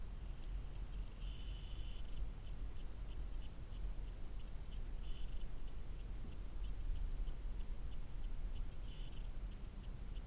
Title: Blackvue DR750x -2ch lte plus humming noise